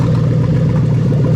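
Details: 3UZ-FE VVT-i V8 (from a 00-03 Lexus LS430) on a new ECUMaster Black standalone harness, straight exhaust, first start: engine held high with a flat, capped note that won't climb; cold-engine soft rev limiter cutting in near 4000 rpm.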